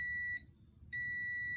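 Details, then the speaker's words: Midea chest freezer that won't turn on: steady multimeter continuity tone from the new thermostat, while the old one showed none; new thermostat tests good, old one confirmed bad. "and we have continuity and they're both on the same setting so definitely bad"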